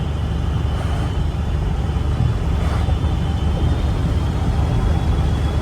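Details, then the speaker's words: 7.3 Powerstroke diesel truck easing back into throttle uphill after fitting a KC 300X Gen 3 stage 1 turbo, Riffraff up-pipe kit, deleted pedestal and boost fooler: deep, even pull with a faint steady turbo whistle, already spooled, no surging; normal turbo spool under load. "It's going to come back down a little bit and we'll just gradually get back into it. Like, see, it's already spooled."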